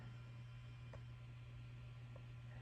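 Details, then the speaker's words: Fender Deluxe Reverb reissue (Frommel kit) after replacing the noisy reverb recovery tube V4: a steady low buzz remains with nothing playing. Cause is poor lead dress, the grid lead routed over the plate instead of across the socket. "There's still a lot of noise left. Let's see. Probably hear that. And that's because they ran the grid right here."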